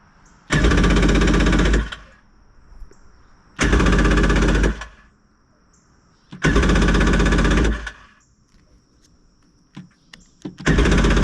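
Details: 1994 Yamaha WaveRunner III after starter replacement, old stale fuel in tank: four one-second cranking bursts with pauses, spins but never catches; hard start, old gas or carb suspected, not confirmed.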